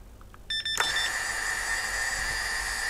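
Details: Vortex 250 Pro quad with lost model alarm; a few short chirps then a steady high beep; normal arming beeps as the throttle is dropped.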